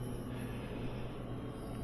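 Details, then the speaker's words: Sub-Zero UC-24R undercounter refrigerator compressor after nitrogen pressure test, recover and Freon recharge, pulling down to 46 degrees: low, even hum with steady drone, no knocks, rattles or cycling; unit was condemned but seems to work; normal compressor running. "so why was this thing condemned I don't know seems like it's working to me"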